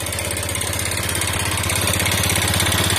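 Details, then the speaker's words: Motorcycle run completely out of oil, piston possibly seized, restarted with used oil added: harsh clattery idle with hard rapid beat and metallic rattle, somewhat smoother now but worse with thick smoke when hot; rough running after oil starvation. "Nah ini agak halus bosku ya. Kalau suaranya ini sudah agak halus ya. Tapi nanti kalau panas bosku ya, parah sekali bosku ya."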